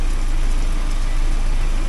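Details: 1979 Porsche 924 after new motor mounts and warm-up regulator fuel pressure work, warming up quickly, pressure holding 3.2 (should be 3.4): smooth steady low idle, no knocks or ticks; running very nicely; normal warm idle.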